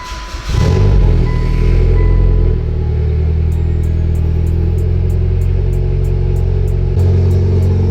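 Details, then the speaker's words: Silver Mitsubishi Evo X (Grimspeed boost controller) at first startup after a test pipe replaced the cat. It catches and settles into a steady, deep, loud exhaust burble at idle, much louder than before, with an even beat and no misses; normal idle. "oh yeah oh yeah it is way louder now that sounds good before i thought it was like super quiet it now makes sense because it had a cat on it the whole time"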